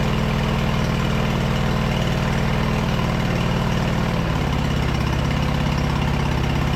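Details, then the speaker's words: Craftsman LT2000 V-twin mower, sitting about a year and headed for scrap, runs gravity-fed with the upper shroud off and choke halfway, just above idle. It idles steady and even with no knocks or misses; a carb clean is still planned. "honestly that thing sounds great we'll definitely have to do a uh carb clean on this but it did I just with the uh the choke about halfway on here just above idle it I mean you guys could hear it was running perfectly"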